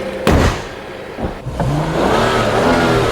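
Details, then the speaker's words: 2015 BMW 640i after defective battery replacement fixing intermittent no-start: sharp blips then clean climbing rev, steady tone, no knocks or rattles; engine sounds healthy and strong. "Wow, that's the sound of power. Man, this thing is nice."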